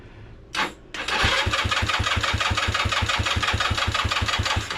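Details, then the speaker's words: ZY6 scooter, choke on, battery not charged: the starter turns about three even compressions a second but never fires. Crank, no start, no spark because the kill switch works in reverse (on is off). "And then also I remembered that with this bike, On is off and off is on. So we didn't have a spark because of the switch."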